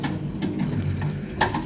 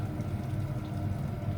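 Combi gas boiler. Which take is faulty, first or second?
first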